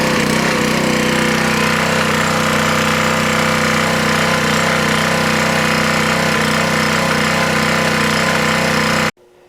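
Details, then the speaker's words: Honda swap-meet small single-cylinder engine (GC190 or GX160), started on choke, running on governor: fast, uneven, slightly hunting beat before cutting off, smoothing the longer it ran; rough running, carburetor needs cleaning. "so I'll start it up it needs a carb clean you can tell but it runs"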